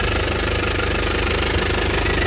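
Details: 2017 Isuzu Panther LS Turbo diesel, 130,000 km, at idle: even clatter with a steady rhythm and no uneven beats, described as stable with good injector nozzles and pump; exhaust smoke barely visible and clean; healthy idle.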